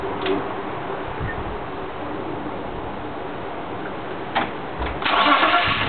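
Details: M3 petrol engine idling unevenly with occasional stumbles, then revving up: engine misfire.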